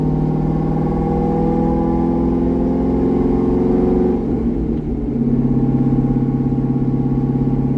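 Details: C6 Corvette with aggressive camshaft and long-tube headers on a revised HP Tuners idle tune: V8 burbling at a steady low idle, brief blip midway, then settling back smooth and even; healthy idle, tuning about 80% done.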